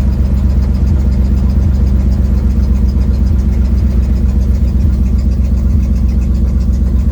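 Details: 1972 Ford Mustang driving home, phone in the dash, before repair: deep rumble with a ragged chuffing pulse about four times a second riding the exhaust note, from an exhaust leak.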